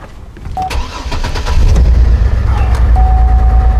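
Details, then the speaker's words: 2004 Chevy Trailblazer: after swapping ignition coils, the dead miss moved from cylinder 3 to cylinder 2 on the scan tool. Cranks, catches and idles with an uneven lumpy pulse of about three per second: failed ignition coil, which needs replacing. "Still have our dead miss. Look at the scan tool. Bam! Don't gotta be all high tech all the time. It's on cylinder 2 now."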